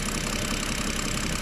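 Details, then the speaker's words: BMW at idle: steady idle with a dull, evenly spaced "tyk-tyk" knock keeping time with engine speed; loose pulley noted, belt to be removed to isolate source; cause suspected, not confirmed; engine knock at idle. "Ну ты слышишь же этот звук Просто я приехала она ещё подаст чуть-чуть он прям конкретный тык-тык тык слышишь глухой такой"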